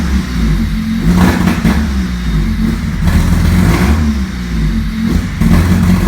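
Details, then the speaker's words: Honda Civic EG with D16Y8 engine: uneven, stumbling rev rise, sputtering and hesitating between about 1,000 and 3,000 rpm, bogging when floored but clearing with gentle throttle; idle fine though slightly erratic. Low-rpm bog, cause unknown. "You know, at the low RPMs, I would say between like 1,000 and 3,000, the engine just wants to sputter, or it has a general loss of power, hesitation, whatever you want to say."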